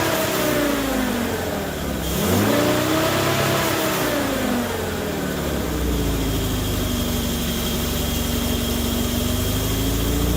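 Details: Morris Minor 1000 van at first run after a Judson supercharger install with a longer drive belt: whining tone rises and falls with each throttle blip over a rough, rattly engine note. New noises, cause not yet known.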